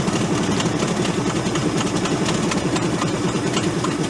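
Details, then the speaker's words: Ford F800 crane truck, engine formerly locked up, running only on gasoline hand-fed into the vent and sprayed into the intake: lumpy, uneven idle with a wavering, stumbling firing beat, rough idle from hand-fed fuel before it smooths out. "And then I can also spray that in there while it's running and try to keep it running. Bottle fed like a baby."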